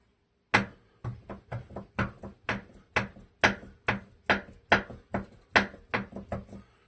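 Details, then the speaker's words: Clinton model 410 engine, not running, bare crank rocked back and forth by hand: irregular sharp clunks about two per second, a loose knock in the bottom end; engine has compression, cause suspected, not confirmed. "That that has got to be our noise, our knock."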